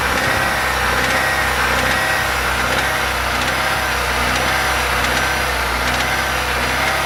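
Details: Engine at idle with faint light taps repeating roughly once a second over the hum; knock present, source not pinned down; engine knock.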